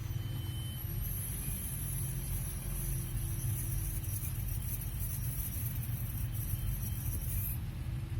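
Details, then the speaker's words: Honda Elysion RR3 rolling on the road: thin, steady, very high-pitched squeal over road rumble that stops when the brakes are applied; worn front brake pads touching their wear indicators. "if you're wondering what that noise it is it's brake pads wearing down so you have an attention you know maybe you need to replace this"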